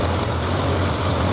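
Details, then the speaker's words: 1991 Suzuki GSX1100G during carburetor balancing gives a smooth four-cylinder idle that is noticeably high at almost 1500 rpm after the way-off center carb was adjusted. It was overdone slightly and is being turned back down. "Okay, that center one was way off. You can hear the RPMs quite a bit higher now."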